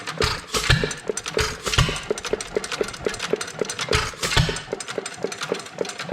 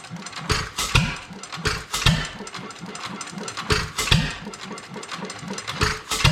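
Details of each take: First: Domestic type F engine with mud sucker pump, governor spring shortened about a quarter inch: regular valve clicks about four a second with heavy firing thumps every second or two; runs steadily but too slow to pump water. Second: Domestic Type F single-cylinder engine with mud-sucker pump, governor spring shortened about a quarter inch: slow, loose chuffing beats with long gaps between firings; engine runs but still too slow to pump water.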